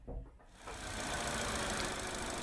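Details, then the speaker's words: 2014 Vauxhall Corsa E 1.4 petrol, engine cover off, idling: rough uneven idle with intermittent clicking, engine shakes on each click; coil pack arcing misfire from water ingress corroding coil contacts and plugs, coil and plugs replaced. "which is this coil pack you can hear that clicking arcing as it's running there"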